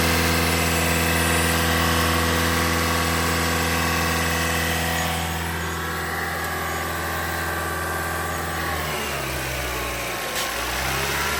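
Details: 2021 Toyota Camry Hybrid bleeding air after engine and inverter coolant change at 100,000 miles: steady even idle, smooth low hum with whooshing cooling fan on its second cycle, no knocks or misses; normal idle.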